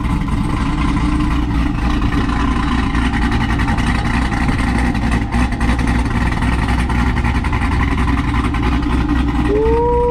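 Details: Chevrolet Corvette C5 V8 after headers, cam and heads install, first start: deep choppy idle with uneven lope, steady and strong, no misses or ticking; healthy cammed engine.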